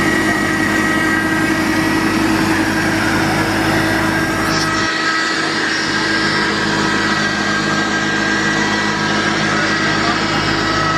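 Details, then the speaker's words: Jeep Cherokee Pioneer, unregistered since December 1993, after a cold start, hot-wired with 12 V to the ignition coil and jump-started, now running on its own: steady even idle with constant hum, no misses or knocks; normal idle. "The Jeep's still running. There's a train in the background. But can you hear it? That's right, it runs."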